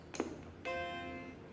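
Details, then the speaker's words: 1989 Macintosh IIcx with an intermittent power-on fault, during repair: a single clear, sustained startup chime that rings evenly and fades, the normal power-on sound. "that's the normal sound I was expecting so maybe that other funny sound wasn't and I'm before him I have no idea anyway now it's doing the normal Macintosh 2cx trying so that gives me even more hope that this is salvageable"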